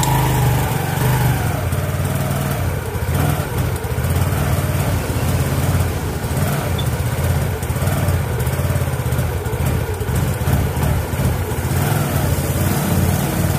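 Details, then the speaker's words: Yamaha Mio Fino scooter idling steadily with a faint hiss and whine from the crank side. The noise is traced to a worn, scratched clutch bell. "Kaya ayun guys medyo naririnig niyo naman yung ingay na yon."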